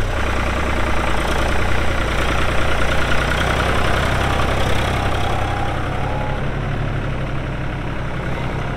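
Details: 1999 New Holland TN65S 4WD diesel tractor, 8-speed hydraulic shuttle, NH 33LA loader, 4,162 hours: steady, even low diesel rumble with smooth regular beat at idle, no knocks or misses; hydraulics strong, engine sounds good — normal diesel idle.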